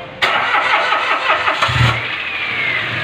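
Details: Mitsubishi Mirage G4 after fuel pump problem fixed: brief crank catches quickly and settles into a steady, even idle with no misses or knocks; starts and runs fine.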